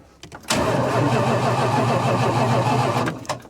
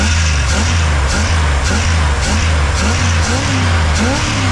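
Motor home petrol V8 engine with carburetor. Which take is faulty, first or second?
second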